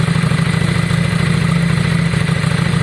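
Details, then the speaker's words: Yamaha Virago V-twin idling, warming up after front carb clean and new spark plugs: steady, even low thump with no misses, knocks or rattles; best it has ever sounded, revving fast and high; normal idle. "sultan's bike sounds the best it's ever sounded guys since we've had it um it's revving fast it's revving high"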